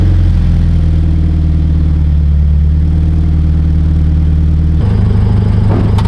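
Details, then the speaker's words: 2013 Subaru BRZ with GReddy Evo GT exhaust, after a leak was fixed with a 2.5-to-3-inch adapter gasket and donut gasket; steady deep drone at idle and light revs, no ticking or puffing; sealed, normal exhaust note. "That sounds so good. I'm so happy with how it came out."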